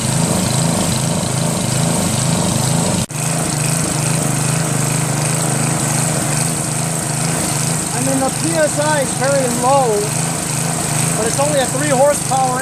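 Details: Northern Hydraulics pressure washer, Briggs 3.5 hp engine with primerless vacuum fuel reservoir, unused 8 years; after starter fluid start and fixing hose, wand and clogged rusted tip, engine holds steady even drone under faint music; running normally.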